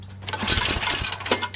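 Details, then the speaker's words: Yard Machines 8HP Tecumseh snowblower before carburetor replacement: each recoil starter pull brings an intermittent crinkly metallic rattle. The owner first suspected a loose screw; it was a loose nail caught near the recoil housing. "i don't know what that sound is i've never heard that sound before now i don't hear it but it it's almost like it's part of the recoil you know"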